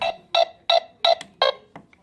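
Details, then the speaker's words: Newly installed wired doorbell chime strikes continuously about three times a second. A bad switch inside the doorbell was ruled out; a short to ground in the wiring is suspected. "so the problem is this right here it's just stuck on which we had thought it was stuck on before and we thought it was a problem with the switch inside of the doorbell but obviously that's not the case"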